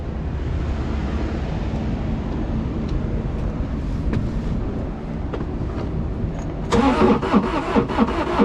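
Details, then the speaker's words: Non-running auction side-by-side diesel on jump pack: fast uneven cranking chatter that sounds horrible, engine never catches; cause unknown, fuel pump and injection lines checked next. Cranks but no start. "that's bad oh that sounds horrible what just happened huh I guess we crank it over again"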